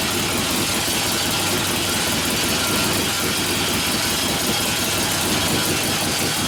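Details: 1972 Harley-Davidson XL Ironhead Sportster bobber after a motor rebuild for wrecked pistons and pinion bushing, oil returning well: steady, even running with a dense, constant mechanical roar and no knocks or misses, a healthy fresh rebuild.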